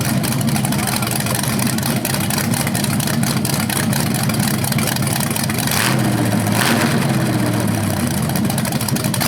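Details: BluePrint 396 big-block crate engine for a 1970 Camaro SS, first run with headers and flywheel: steady strong idle and clean throttle blips, no tapping or clatter; healthy, though a slightly different rev sound is noticed, unsure if headers or flywheel.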